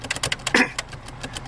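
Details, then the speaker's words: 1996 Subaru Legacy Outback automatic stuck in Park, engine running, foot on brake: quick light clicking about six a second from behind the dashboard as the shift lock won't release, caused by a blown 20A horn/brake-light fuse. "You can hear a clicking coming from uh behind the dashboard. I don't know what that is, but for some reason, it just isn't working."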